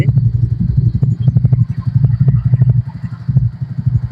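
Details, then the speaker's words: Old Hero Splendor Plus single-cylinder bike right after an oil change at home: low thump about four times a second with light clatter; steady healthy idle, left five minutes for oil to circulate. "Start ಆಗಿದಮೇಲೆ ಪ್ರತಿ oil service ಆದಮೇಲೆ ಒಂದು ಐದು ನಿಮಿಷ ಐಡ್ಲಲ್ಲಿ ಬಿಟ್ಟಬಿಡಬೇಕು ಗಾಡಿನ"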